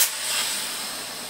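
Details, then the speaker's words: Tippmann TCR marker tuned to 46 J peak, fitted with an X7 barrel, on CO2. A sharp, high, constant hiss that fades only slightly, with no low end; gas leaks from the back, not the front. "It's leaking out from the back, not the front. That's kind of weird."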